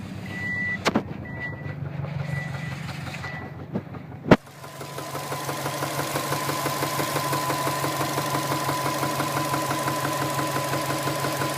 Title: Engine knock 2